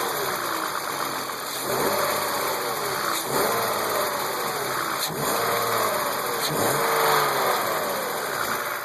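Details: BMW E36 328i M52, 175,000 km, M50 intake, M3 EU headers and exhaust: a light, fast tick under idle and rev blips. It persists despite new lifters, chain tensioners, upper chain, VANOS seal and injectors, with oil and fuel pressure and cam clearance checked. Source unknown.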